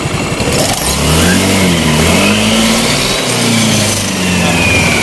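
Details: Yamaha Nouvo Elegance 135 automatic scooter after engine rebuild (valves lapped, valve seals replaced, bore honed to size 50 with Japanese piston, new belt-drive side parts): smooth, even rev that climbs and settles cleanly, no rattle, slip or grinding; healthy.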